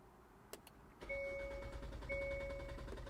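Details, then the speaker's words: Hyundai Elantra N, first start after installing an upgraded high-pressure fuel pump (Shark Racing Sonata 2.0T, part 35320-2GTA0): cranks, then catches and settles into a quiet idle with a chime; seems louder than stock, no leaks; normal start. "All right, now we're gonna crank it. It'll probably gonna take a second or two longer. That's normal."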